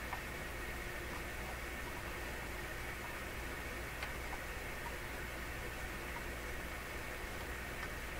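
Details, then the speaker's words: Electrohome Chippendale console radio with weak output, after replacing one capacitor: on FM only a steady even hiss with no voices or music, picking up no stations though it had the day before. "We're on FM. So there's the FM hiss. Come on, baby, you were picking stuff up yesterday."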